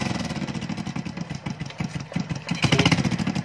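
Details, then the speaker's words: Small single-cylinder motorcycle after repair of a crushed timing chain tensioner and jumped timing, oil now reaching the head: quick, even idle with no rattle or clatter from the top end; healthy and quiet. "Tahimik na yung makina. Goods na."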